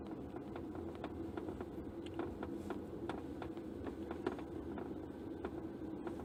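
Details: 2016 Toyota RAV4, driver side, cabin: light irregular ticking, about three taps a second over road hiss. Appears at low speed, worse on bumpy roads and sunny days, gone in rain. The cause was the cowl panel, reportedly loosened parts inside it.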